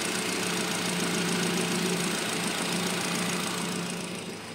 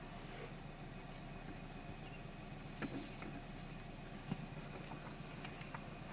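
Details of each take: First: Nissan Grand Livina after repairing a leaking ignition coil that caused misfire, high fuel use and MIL on: even idle with a steady hum and no stumble, air conditioning on; engine smooth again, normal idle. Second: Nissan Grand Livina with check engine light and high fuel use: low uneven idle with a stumbling beat and irregular soft exhaust puffs; misfire, suspected ignition coil leaking spark to the engine block, smooth again after coil fix.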